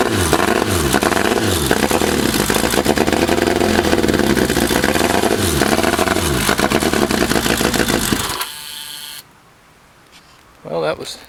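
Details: 1984 Kawasaki GPZ750 Turbo, fuel injected, first start in 22 years after sitting under a tarp since 1989: ragged, uneven revving with clattery firing and surging pitch before cutting out; rusty fuel tank and dirty injectors, improves later.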